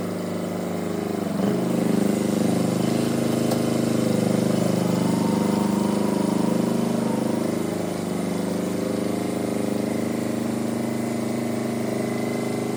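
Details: Perkins two-cylinder diesel in a Power Pony, running after the fuel system was bled once it stopped, possibly from the petcock being left off. A steady chug of about three beats a second with no misses or knocks; normal running.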